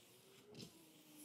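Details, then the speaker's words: Wiper motor tested directly for continuity after loom damage, running at low speed: faint steady low hum with soft whirr at constant pitch, normal motor running. "Let's just make sure the motor itself is working and we're getting a good continuity through there."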